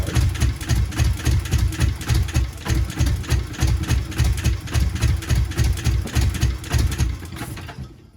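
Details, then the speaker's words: Subaru GC8 with EJ207 STi shortblock, first start after injector install: heavy, uneven lumpy chuffing about three to four pulses a second, lopsided and shaking; one cylinder bank has never fired. "So I've lifted the manifold up here because, so this side, what I did was I pulled out the plugs. This side has never fired whatsoever."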